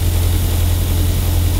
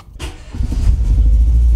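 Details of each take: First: Renault Twingo 1 phase 2, bought broken with a reported turbo problem. Smooth, even low rumble with a steady beat and no knocks or misses. Normal idle. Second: Renault Twingo 1 phase 2, bought broken with a reported turbo problem, still running badly after all attempted repairs. Revs rise and fall with an uneven, lumpy low rumble that never settles. Cause unconfirmed; rough running.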